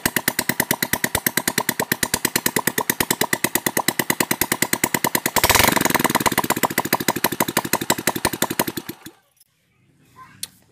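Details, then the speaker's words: Honda Supra Fit after engine rebuild with new camshaft with decompressor, exhaust removed, no smoke when revved: unmuffled single thumps evenly about three beats a second, blips briefly, shuts off cleanly; normal idle. "Motor engkolannya udah enak, enteng ya kan, karena di as clamp yang baru itu ada dekompresinya."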